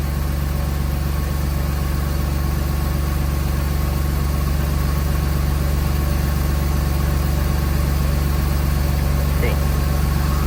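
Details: Mercedes M104 six-cylinder just after replacing misfiring ignition coils with updated coils (part A000-158-70-03), covers temporarily set back in place; steady low idle with smooth regular exhaust pulse, no stumbles or skips; no misfires, normal idle after repair.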